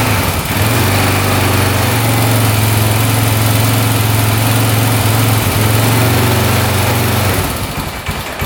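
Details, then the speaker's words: 2004 Honda 400EX quad that previously would not run, started after the valves were checked and found set correctly; rough, loud single-cylinder idle with hard knocking three or four times a second, no smoke, won't idle or rev out, cause undetermined. "So far, no smoke, but it sounds like it's knocking pretty good, doesn't it? Doesn't sound the greatest. Um, and it's not idling or revving out."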